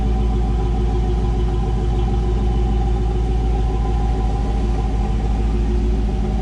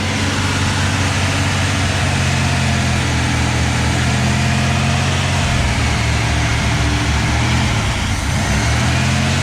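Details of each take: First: 1984 Camaro Z28 L69 HO V8, just after fitting a new exhaust with straight muffler, angle-cut tailpipes and ball flange: deep, steady rumble with an even, unbroken beat, no leaks, rattles or ticks; normal V8 exhaust note. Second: 1984 Camaro Z28, L69 HO 305 V8, 700R4: loud steady drone at fast even idle with no misses after start; idle too high though idle screw backed out, throttle hung up on choke, flicking linkage reset it.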